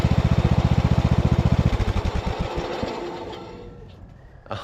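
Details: 2014 Ariens (Husqvarna) 42-inch-cut riding mower, revived from scrapyard parts machine, mowing: steady, even thumping about four beats a second fading as it drives away; engine running smoothly, only needs a couple of small things.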